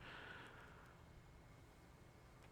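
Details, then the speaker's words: Sansui TU-X1 tuner in AM mode, volume fully up, being repaired: quiet hiss, then a sudden sharp crackle that recurs randomly; unstable amplitude seen at the first FET amplifier in the RF stage, intermittent noise burst. "there goes the noise you hear it and every now and then it'll just randomly do that"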